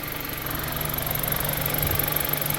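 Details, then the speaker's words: Car idling after a repair, cleared codes and a road test with no overheating: smooth, even idle rumble with a steady low beat and no knocks, ticks or squeals; normal idle. "everything's good everything seems fine so I'm happy with how it's working out um I think everything's going to be good no overheating no nothing like"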